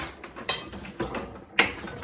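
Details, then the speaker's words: Treadle-driven 8x12 C&P letterpress fitted with a 3/4 HP instant-on sewing machine servo motor that contacts the flywheel via a see-saw pedal: rhythmic clacks about twice a second with light metallic rattles between; normal running. "Okay, we turn it on. We give it a quick test, and the motor is running."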